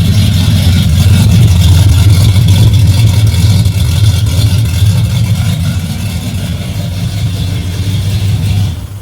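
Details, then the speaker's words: Ford with a rebuilt Holley carburetor after fuel pressure regulator trouble, carb suspected loading up earlier: catches on the first key bump and settles into a steady, even low rumble, no misses or stumbles. Normal idle. "First key bump. Boom. That's how it's supposed to be."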